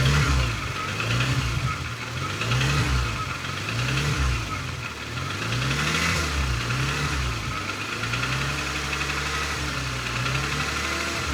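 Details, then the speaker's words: Porsche Macan S petrol engine at 67,796 km idling with a deep, heavy knock beating steadily under the running noise; sounds like a connecting rod, owner of the shop suspects rod, timing or piston; not confirmed. "Et le moteur a déjà des gros problèmes mécaniques, notamment un cognement moteur. On a vraiment l'impression d'avoir le bruit d'une bielle. Ah ouais, putain, on l'entend le claquement là."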